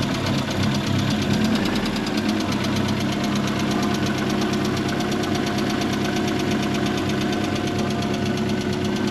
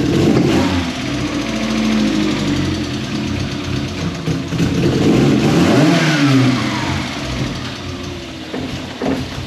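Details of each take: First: MK1 Ford Fiesta with a Zetec conversion, petrol engine at idle after cambelt and timing were set up, with the crankcase breather pipe clamped: a steady, even beat with no lumpiness or hunting. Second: MK1 Ford Fiesta with Zetec conversion, petrol: an uneven, lumpy idle that hunts and stumbles through throttle blips; idle is worst cold and the engine tends to die when throttle is touched cold.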